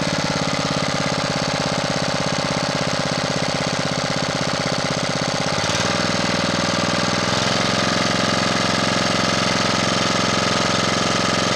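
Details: Honda GX240 after its carburetor idle-circuit passages and jets were recleaned: the single-cylinder engine holds an even beat, then settles slightly lower with no hunting; it idles steady without surging and the idle screw works.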